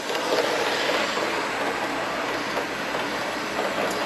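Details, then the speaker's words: Hornby GWR Castle model train set with the controller switched from low to high: quick, light wheel rattle on track with an even motor hiss at high speed; the locomotive runs smoothly and normally. "flip this from low to high and then by doing that and I'll show you cck what will happen with it flipped on to high now the train is going to go a lot faster and for kids this might be more of a fun Factor but it's a lot more responsive"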